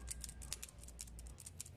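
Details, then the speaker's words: Sanyo one-door fridge, not cooling though light on: start relay removed and shaken gives a loose quick clicking rattle, relays should not rattle; bimetal inside broken, relay needs replacing. "ketika relay ini mengalami kocak di bagian bimetal Berarti bimetalnya udah hancur ataupun rusak Nah ini perlu kita ganti kalau sudah kocak seperti ini"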